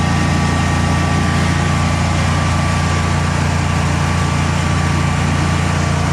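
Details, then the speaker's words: Generac Guardian 16kW standby generator, refurbished after exploded battery, running on gas under close to 6,000 W heater load: steady even low drone with constant hum on top, no stumble or hunting; didn't even hesitate, healthy. "under close to 6 000 Watts didn't even hesitate I think I like this machine"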